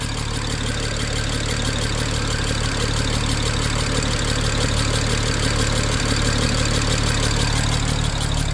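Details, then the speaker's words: 2007 BMW 335xi twin-turbo inline-six after fitting used OEM coil packs and OEM Vanos solenoids: lumpy, irregular idle with a cylinder misfiring, less at higher rpm but still shaking; owner suspects a compression leak or an unseated spark plug. "I just don't know why it's making that sound. Almost like it's leaking through, like something's leaking compression, and I can't tell where it's coming from."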